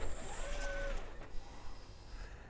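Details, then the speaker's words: 2017 Toyota Prius after overheating, codes P3190 and P0117, coolant vanishing into the engine: low labouring crank that drags and locks up instead of catching; hydrolocked, water in cylinders, wet rusty plug. "All right, so it is sucking water into the motor. All right, the way it just locked up there, I'm gonna pull the plugs and we'll crank it without the plugs or just see if water's in the cylinders."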